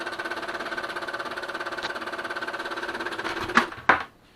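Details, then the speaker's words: Brother DCP-L2500D scanner: rapid mechanical rattling, then sharp clunks as the scanning carriage keeps hitting the left side end stop; the scanning bar (LT2668001) is faulty and the scanner doesn't work. "Неисправность выглядит следующим образом . Оно постоянно ударяется о левую сторону, стучит, а это значит, что оно"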